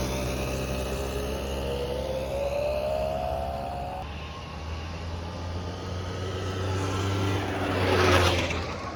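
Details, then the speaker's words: 1989 Yamaha Riva Razz 50cc two-stroke scooter (SH50), 2,500 miles, after a tune-up and years off the road, started first kick: buzzes evenly, revs up and settles back cleanly with no misfire or rattle; healthy running. "Started up first kick."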